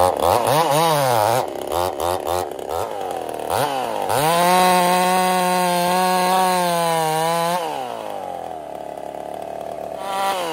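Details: Ported Husqvarna 55 chainsaw in the cut: revs up and holds steady pitch but bogs, flat and down on revs. Lost over 1000 rpm over about half a tank, new coil didn't fix it; power loss from a scored cylinder.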